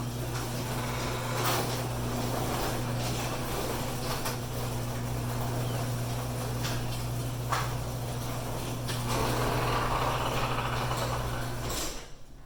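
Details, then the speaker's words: Coastal Florida garage door opener cycled after spray lubrication of rusty parts: steady low motor hum, smooth chain run, only light clatter, a lot less angry sounding. Door opens quietly; normal garage door operation. "definitely a lot less angry sounding so yeah pick you up some garage door lubricant"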